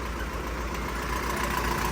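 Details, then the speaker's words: Nissan Frontier YD25 diesel at idle, hood open, after conversion to an inline injection pump: uneven, lumpy clatter with shaky rhythm, engine visibly shaking; rough idle. "รถเครื่องยนต์เดินไม่นิ่งนะให้เราจะเปรียบเทียบกันอย่างนี้ให้เห็นนะขอสังเกตนะครับเครื่องยนต์สั่นคันนี้นะฮะ"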